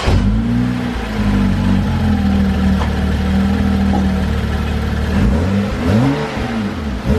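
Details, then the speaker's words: BMW F30 335i N55, stationary revs on the stock intake before installing a BMS Elite cone intake: smooth even rise and fall, deep steady exhaust, faint slight 'sh' intake hiss, no knocks or rattles; healthy. "um all right guys so you guys kind of heard it it's kind of like a little bit of like a sh like sound i don't know how to explain it it's nothing major"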